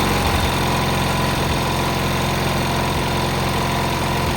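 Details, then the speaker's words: Cub Cadet 682 with Kohler KT17 twin, first start, solenoid jumped: steady, even putter with no knocks or misses; running well. "Pretty happy with it. It works really well."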